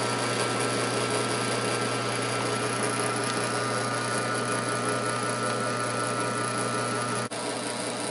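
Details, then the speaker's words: Burnt-out Hercules split-phase motor running unloaded at top speed: steady electrical hum with high whine; run winding overheated, centrifugal switch possibly stuck; noise quiets under a little load. "boy is that ever a neat sound the motor makes when it's running it's like you can hear that motor wind all the way up to its top speed"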